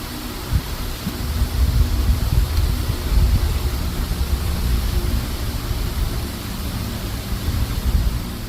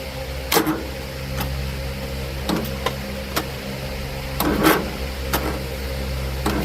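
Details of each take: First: John Deere L110 automatic riding mower after carburetor replacement, on a jumper pack: low, labouring crank with no firing catch, starter dragging the engine sluggishly; slow cranking, no start. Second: John Deere L110 automatic mower after carburetor swap, jumper pack connected directly to the starter and seat sensor jumped: fires up and holds a steady low drone, with some handling knocks and clatters; normal running.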